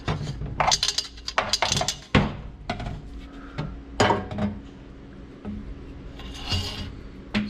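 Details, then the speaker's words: 2003 Ford F150 5.4 single turbo with blown engine, charge pipe removed with the intercooler and shaken: irregular hard rattles and scrapes from a broken piece of the blow-off valve loose inside, after the valve began sounding different. "I pulled the charge pipe off to get the intercooler out, and there's a bit of a rattling noise in"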